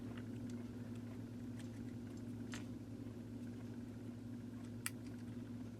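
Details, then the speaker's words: Vintage Sears variable timer, model 796.66400 (Intermatic D111 type): low steady electrical hum and clicking as the motor tries but won't run; main drive gear has missing teeth, stalling the timer. "it's trying it won't start though there it goes and see it's not going to work that's also that clicking noise you'll know the gear is going bad when it starts making that noise"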